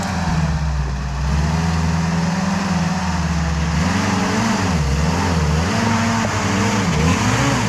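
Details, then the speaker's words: WW2 Jeep driven around the farm in winter: engine drone rises and falls smoothly with road speed, mild transmission whine underneath; healthy engine and gearbox. "Got to listen to the engine and the wine of the transmission. It's cool."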